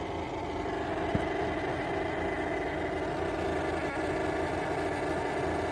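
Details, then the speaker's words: Yeedi M12 PRO+ robot vacuum's Mini Omni Station, newly bought and just plugged in: loud, unbroken whooshing drone with no pitch change and one click, never stopping; abnormally noisy, cause unclear. "Okay, so I just got this, plugged it in, and when I turn it on, it makes a horrendous noise, and it never stops."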